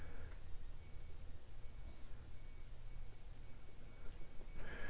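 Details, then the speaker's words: Olympus OEV 143 CRT monitor imported from Japan: a thin, steady high-pitched whine over low hum from a vibrating coil. Caulking it failed, so the coil was replaced. "any of these coils can end up vibrating and causing that noise distortion."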